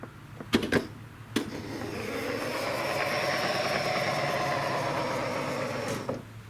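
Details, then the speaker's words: 2016 Mercedes GLE 350 (W166) power liftgate, right-side spindle motor, heard opening and closing. A rough, uneven motor drone, not smooth, rises and falls across the travel. The worn spindle motor is on its way out and is being replaced (part 166-890-00-00). "It's going up and it's going down, but it's making some noise like it's on the way out. So we're going to replace the spindle arm."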